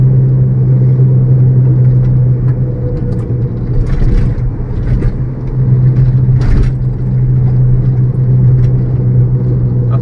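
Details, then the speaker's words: Maruti Suzuki Ciaz road test above 40 km/h with all windows closed: steady low droning hum like a helicopter or truck tyre, piercing frequency inside the cabin; worn wheel bearing. "फिर भी देखना इस गाड़ी के अंदर हद से ज्यादा साउंड आने लगेगा ऐसा लगेगा जैसे या तो कोई हेलीकॉप्टर उठ रहा हो या कोई ट्रक का टायर बज रहा हो"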